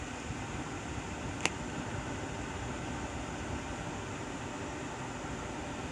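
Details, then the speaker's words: 2011–2015 Kia Sportage, AC fan on settings two to four with defrost, after replacing an HVAC actuator behind the dash: steady even fan rush, no more knocking from under the dash; fixed. "and we have no more noises i'll take and do it one more time i'll put on four and no more noises so i would consider this a fix"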